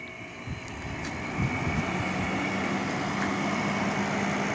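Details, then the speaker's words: 8000 BTU R-410A window air conditioner after replacing capacitor with new 45/15 µF unit: steady hum joined by soft quick tapping, about three or four per second, as compressor kicks in compressing refrigerant; normal compressor running. "And I can hear that the distinct sound of the compressor. It's that little tap, tap, tap, tap, tap, tap. That's the compressor right there, compressing refrigerant."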